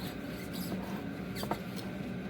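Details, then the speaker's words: 2012-2017 Buick Enclave/GMC Acadia/Chevy Traverse AWD rear driveshaft removed; faint irregular high squeaks as carrier bearing is turned by hand, worn bearing causing squeak while driving, fixed by replacing whole driveshaft. "it's squeaky just imagine that times I know 100,000 you can hear it in the car it was bad"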